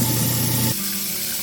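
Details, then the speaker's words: Newly installed Badger 5 ½ HP food waste disposer running with water, after replacing the old growling unit. A smooth, even motor hum with no growl or grinding: quiet, normal operation. "There it is. New unit's a lot quieter. The other one's really growling as it was being used."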